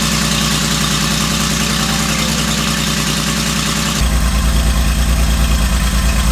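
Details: Porsche 911 garage find that had been sitting, fitted with new OEM plug leads and cranked with the DME relay out to build oil pressure: it catches and settles into an even idle, pulsing about three times a second; runs healthy.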